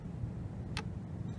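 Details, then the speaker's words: Compound microscope objective lens being rotated in its turret. One crisp click over a quiet low hum as the lens seats and locks into position; the click confirms it is properly in place. "there's actually a clicking sound when it's in place"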